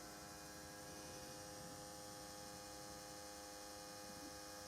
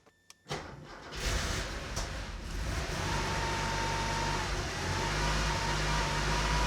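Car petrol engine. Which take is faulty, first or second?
second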